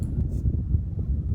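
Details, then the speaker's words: Ducted air conditioner vent after turning the volume control damper inside the grille parallel to the airflow: soft, steady low rumble of air, no whistle or rattle, far quieter than before. "now i'm turning volume control bumper to make a parallel along the airflow now reduce the noise level 10 times than before"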